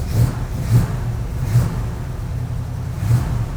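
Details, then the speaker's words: Cold start: deep steady rumble with slight swells at fast idle on choke, little smoke; choke working, runs smooth and healthy. "sounds good I don't a lot of smoke on Startup choke seems to be working good I'm happy with that"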